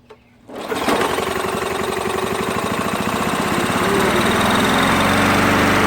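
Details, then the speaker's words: Old 3 hp, 20-inch-cut MTD push mower on a cold-start attempt with fresh gas, the throttle on fast and the air breather off. The pull start catches with brief popping firing strokes that never settle into a run. The owner suspects it is starving for gas. "okay i think it's starving itself for gas i thought for sure it's going to start"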